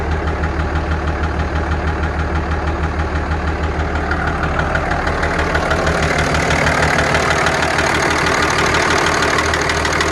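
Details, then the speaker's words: 2003 Dodge Ram 2500 5.9 Cummins diesel idling: regular slap-like ticking knock about three a second; owner suspects the injector may still be leaking, cause unconfirmed. "I still got that ticking, or actually sounds like piston slap."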